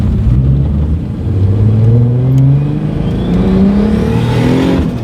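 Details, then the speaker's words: Turbocharged BMW E34 after a boost leak was found and fixed: engine pulls hard with a rising note, then a brief rush of air as revs climb; wastegate opening far too early, bleeding off boost. "Like I hear the wastegate opening. Yeah. Like. Yeah, wastegate's opening way too early."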